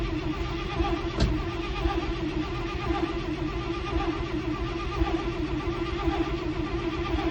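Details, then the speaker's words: 1968 International Loadstar, mechanical fuel pump failed (worn cam lobe suspected), new Holley inline electric pump fitted: starter cranks slowly with no firing; crank-no-start from fuel starvation, later put down to a likely stuck carburetor float. "Doesn't sound like it's running. Alright, well, before I drain my battery all the way down, let's go see if we're pumping fuel, I guess."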